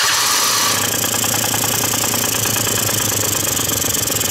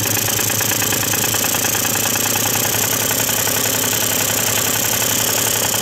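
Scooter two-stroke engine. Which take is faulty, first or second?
first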